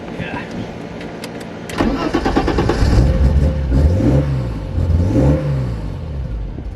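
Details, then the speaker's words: 1991 BMW 325i E30 running Megasquirt 3; brief crank, catches, then settles into a rhythmic loping cam idle that rises and falls. "There's the cam idle. So we got a Mega Squirt 3 in there."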